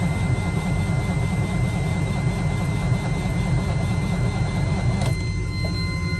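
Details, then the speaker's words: Peterbilt 387 with Cat C15 (serial VXS 35009), cranking on a jump from a van: the starter turns it over at a steady, even pace but it never fires. Fuel filters, regulators, fuel pump, wiring harness and ECM are all new; it fires on ether. Cause unknown. "Everything has basically been gone through, and it just cranks and don't start."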